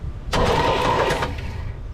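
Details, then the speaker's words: 1975 Chevy Nova engine, sat untouched 35 years, previously stuck: a rapid, even one-second whir as the starter spins it freely with plugs out, spitting debris from cylinders; the engine is now unstuck. "Yep, so as we can see, we are spitting shit everywhere. So that means she is unstuck."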